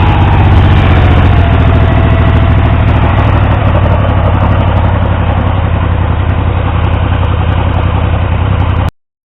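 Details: Triumph T150V triple after top-end removal to stop oil leaks; started on the 2nd kick. Deep, steady idle with even firing and a slight rev rise, no knocks. Oil pressure ~70 psi revving, ~40 psi under 2000 rpm; no leaks; running normally.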